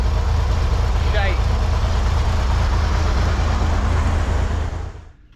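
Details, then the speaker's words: 1963 Corvair fuel system test: deadhead fuel pressure is low. The engine runs with a loose, uneven beat for about five seconds, then stalls from fuel starvation. Crimping the return line restored pressure, showing the return line was not restricted enough. "All right, I haven't turned it on yet, but the deadhead uh reading is uh struggling. I'm going to go ahead and start it. Hopefully that'll pull some more fuel through it. Something's not right. No good."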